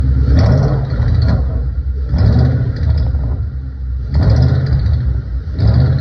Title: My 2012 Shelby GT500 is making this rattling/ticking noise while revving up to 1,200 rpm PLEASE HELP